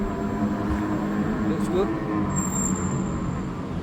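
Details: New Extreme Bull (Begode) Rocket electric unicycle, 13.5 km ridden, previously grinding above 25 km/h; ridden at 25 km/h or more after firmware update Rocket_JN1525001: steady low motor hum under wind and road rush, no grinding. Normal ride at speed.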